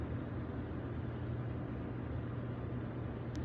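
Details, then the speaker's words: Hot tub jet pump that only hummed, running normally after replacing a bad capacitor: steady, even low rumble and hum with water churning. "So everything appears to be working as normal. All it was a bad capacitor, which is right beside here."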